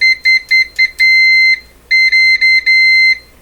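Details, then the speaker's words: Canadian Westinghouse 981 shortwave radio during restoration: sharp multimeter continuity beeps, short chirps then held tones, as the probe touches the chassis while tracing a mystery wire. It reads grounded on every band switch setting. "pretty convincing it's on ground now i've rotated the band switch through all the different settings and repeated this so you get the same everything is grounded no matter what you touch"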